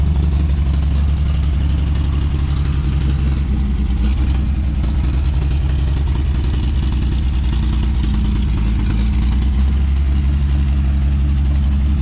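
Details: 1954 Chevrolet 3100 six, rebuilt then stored ~15–17 years in a chicken coop; timing slightly out, vacuum advance turns distributor: low, uneven idle stumbling and dropping out, missing hard; owner says it needs a carburettor.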